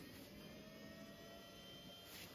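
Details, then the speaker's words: Intel Pentium 200 MHz MMX PC fails to POST on some power-ons: 5 V rail drops below 5 volts, no beeps, nothing on screen, only faint steady fan whir; other PSU, CPU, video card and RAM ruled out; traced to weak CMOS battery. "drops below 5 volts nothing happens no beeps nothing on the screen so definitely something power related"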